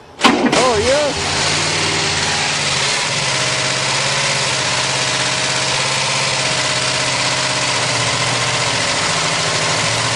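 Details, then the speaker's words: 1967 Cadillac started after long storage, with choke and extra fuel: cranks, fires and settles to steady idle with loud top-end clatter; sounds a bit tight, hydraulic valve lifters empty of oil. "It sounds a bit tight, and the valves, of course, are clattering like hell because they're empty."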